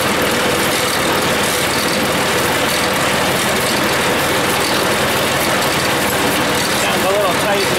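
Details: Deere front-mounted sweeper after a chain service, chain refitted so it should not come off, running with a steady, even rush and no slapping or clacking; it sounds better and runs normally.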